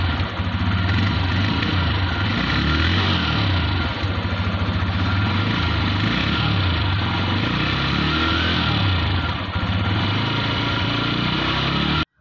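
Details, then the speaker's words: TVS Raider 125cc BS6 motorcycle, 2500 km: low idle chugging with uneven, stumbling beats; missing at low rpm, cause not yet found; bike also shuts off suddenly. "तो यहां पर slow RPM पे bike हमारी machine कर रही है जो की आपने देखा है इस तरह की मिसिंग कर रही है"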